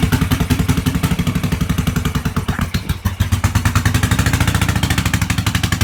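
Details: 1986 Yamaha XV750 Virago V-twin, first start after winter with Gen1 KJS single-carb manifold, old gas, dirty carbs, choke disconnected, cold: lumpy uneven pulses stumbling and dipping midway, staying ragged; runs rough, owner says it needs tuning.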